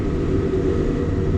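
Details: JCB Fastrac 3170 5.9 Cummins after a temporary repair of the chuffing exhaust manifold: smooth low diesel rumble with an even beat and no chuffing from the exhaust side; repair holding, normal running.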